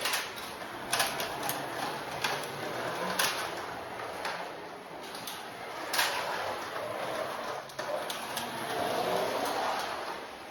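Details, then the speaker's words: Carrera 1/32 slot car after truing the wheel for polyurethane tires, previously growly: light, even motor and wheel hum with track clicks as it laps, no growl; smooth running after repair. "Way better. Way better. I guess that's a good word."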